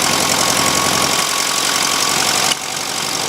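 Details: 1971 VW Super Beetle air-cooled engine, freshly cleaned carburettor; loud ragged idle with uneven chuffing that sags and nearly dies then settles lower with idle jet closed; rough idle, jet then backed off slightly.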